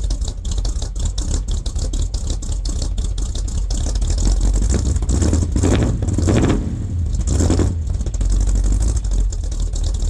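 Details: Rebuilt engine on a 1978 K25 (new valve springs, seals, valves), first real cold start at about -8°C: V8 idles with a firm, even burble and takes clean throttle blips without stumbling; healthy warm-up running.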